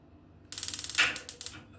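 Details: Gas tankless water heater that would not light, tested with gas shut off: a quick, even run of sharp clicks, roughly ten a second for about a second; the igniter sparks normally.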